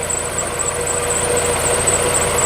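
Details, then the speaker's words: 2002 Honda CR-V (2nd gen) with K20a4 4-cylinder 16-valve 150 hp engine, about 226,000 km, nearly 20 years old: steady, even normal idle with a faint high chirp suspected from a pulley; some oil seepage near the power steering pump. "แล้วก็เสียงโดยรวมนะครับก็โอเคเนาะนะครับตัวเสียงเครื่องเองเนี่ย"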